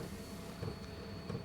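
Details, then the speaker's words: 8KW portable diesel heater at its lowest setting: soft, low clicks of the dosing pump, just over a second apart, under a steady fan hum and thin high whine. Normal pumping, burning about 0.1 litres of diesel an hour. "you hear that click noise that's the frequency of the pump so it's a pumping one so that must be it pumps just over a second one pump just over a second"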